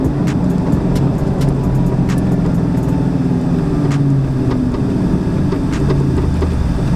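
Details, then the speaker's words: Car with 700hp built TR3650 transmission and new UPR upper and lower control arms with spherical bushings, driving: sharp irregular metallic clicks and knocks over road and engine drone; rear suspension clunk over bumps, owner suspects the spherical-bushing control arms. "I'm not sure if you guys can hear that clunking also uh I just did some UPR a while back"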